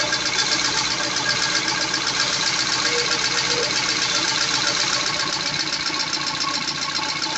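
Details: Peugeot 206 CC S16, first start after hydraulic lifter replacement and new timing belt: fast light ticking about four per second over steady idle; lifters clattering until oil pressure fills them.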